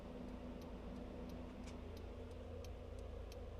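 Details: 1999 Saab 9-5, home-made 3-wire to 2-wire trailer lighting converter using salvaged relays; left blinker with brakes on, engine idling. Crisp, evenly spaced ticks about three a second; relays cycling normally.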